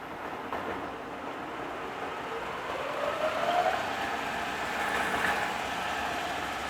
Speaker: boys that sound good don't it